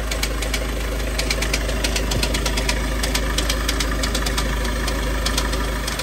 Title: VW Tdi Dual Mass flywheels fail sound DSG, confirmed DMF problem